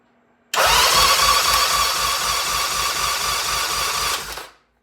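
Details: 1975 Norton motorcycle, electric-start compression test on one cylinder with valves exposed, after running: brisk even cranking about four beats a second with matching compression strokes; 110 psi, up from 90 psi the day before; good compression.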